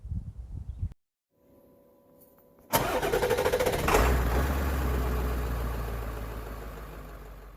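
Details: 2005 Chevrolet Tahoe 4x4 after fixing a crank-no-start caused by a blown PCM fuse: brief cranking, then the engine catches firmly, flares up and settles into a smooth, even idle. Normal start.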